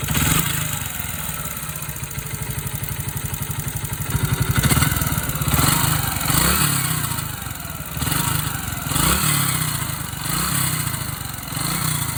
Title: yb125 strange engine sound